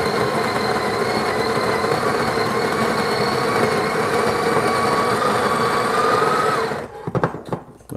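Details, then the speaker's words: Breville Barista Express built-in grinder purging a handful of beans: steady grinding with a thin high-pitched whine creeping up in pitch toward the end of the dose, then cutting off; cause unknown, owner plans to inspect later. "did you hear that that wing whining sound that's right again i i don't know the high pitch noise that is"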